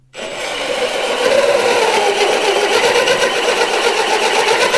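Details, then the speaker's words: Thick hole saw cutting metal, drill at low speed with constant pressure; needs more torque, even chattering rasp about four bites a second; cutting normally. "it takes a fair bit more torque to uh use it and a slightly more speed but it is thicker way thicker so it can actually take the heat it's got more room to dissipate"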